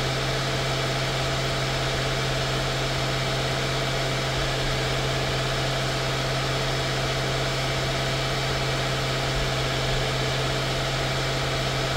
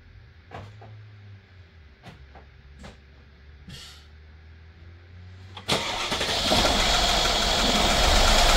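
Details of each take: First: 2016 Mercedes-Benz S550 W222: smooth, steady idle, even low hum, no knocks, ticks or misses throughout; normal idle. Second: 2016 Mercedes-Benz S550 W222 V8 after spark plug and ignition coil service: a few clicks, then cranks and catches into a rough, uneven idle; misfires because the coil connectors were left unplugged.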